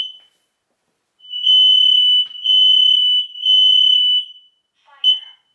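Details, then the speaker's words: Newly installed smoke alarm, breaker back on with battery backup, test button pressed with a broom handle about 11–12 ft up. Three loud shrill blasts of about a second each announce fire, then a short chirp after reset: the alarm works. "Okay, that just said fire. Did you hear it? And then at the last it chirped."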